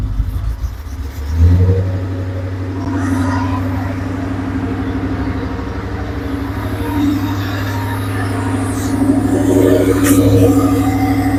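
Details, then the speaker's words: Porsche 928 V8 idling after main fuel pump replacement: even low burble with no separate pump whine over the exhaust, where the old pump was audible from a distance before; running normally, idling well. "so it's definitely a lot quieter I don't hear the pump uh I don't know if you were watched the previous video but like this far away from the car with it running I could hear the pump over the exhaust now it's as quiet as it should be so that's a good sign seems like it's idling pretty good"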